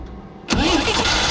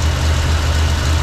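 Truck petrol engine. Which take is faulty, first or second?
first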